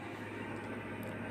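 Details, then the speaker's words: Case fans running normally on a PC with Gigabyte GA-B75M-D3V motherboard and Pentium 3rd-gen processor, two cabinet fans fitted; steady even whooshing hum with low drone, no rattle or ticking; fan noise has already gone down after startup. "the fan noise has already gone down. It's a good sign."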